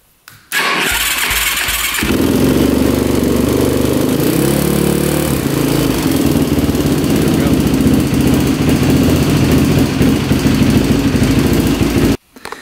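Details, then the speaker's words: Cold start of an engine with a new Pro X piston, new gaskets and a fully fresh top end plus belts: fast idle with a light, rapid ticking over the exhaust; valves, timing chain, tensioner and piston were checked fine, and the owner suspects the clutch area. "And I can hear like a little ticking going on in the engine. I'm sure you guys could hear that too."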